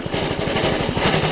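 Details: Doodle Bug DB30 minibike single-cylinder engine, after throttle cable and carburetor work, now running better but chugging unevenly as it drops back to idle, beats bunching and stumbling; irregular idle, owner says it needs adjustments.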